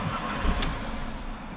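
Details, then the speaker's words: 2005 Chrysler PT Cruiser 2.4 L turbo, 5-speed manual, start-stall after a shop found wiring damage and replaced the crank sensor. Engine catches with a quick burst, then sags and dies within about a second; cause not yet found. "Ooh. Did not want to stay running."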